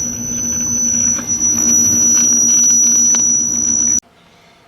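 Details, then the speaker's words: 1956 GE 14T014 black-and-white portable TV powered up before restoration: piercing steady high whistle holding pitch until power cuts; horizontal sweep squeal from faulty capacitors. "it sounds very unhappy"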